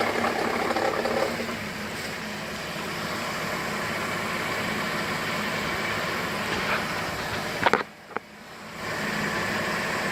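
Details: 2008 GMC Acadia SLT, key restart after auto start squealed then shut off violently: light fast metallic rattle over idle, stops at shutdown, returns on restart; owner suspects failing pulley bearing; rattle at idle.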